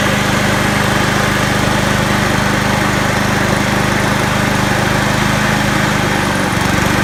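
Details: Honda HRU216 lawn mower engine at fast throttle, governor lever being moved by hand; steady low-pitched drone then tone shifts as governor moves; engine about 20% below full rpm, governor arm needs adjusting further right.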